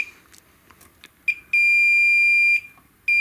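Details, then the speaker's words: Hantarex Polo 25-inch arcade monitor chassis repair: multimeter continuity beep holds steadily across the MOSFET, reading a dead short where about 0.551 is expected; shorted MOSFET. "so it's reading short across those two I don't know if that's normal"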